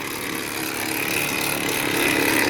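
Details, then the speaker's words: Vehicle with transfer case fault codes C1438, C1403, C1476, driveshaft not turning in gear: harsh, continuous gravelly grinding under load in reverse; transfer case failed internally. "whoa yeah you can feel a lot of time i kill it yeah that transfer case is toast"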